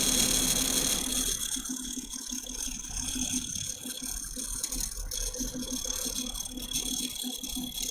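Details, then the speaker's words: New custom PC (i9-9900K, dual RTX 2080 Ti, EK RGB fans) on first power-up: fast light ticking rattle about three to four a second over a steady airy whir; one fan suspected to be hitting something. "Awesome. So it sounds like one of the fans is hitting something."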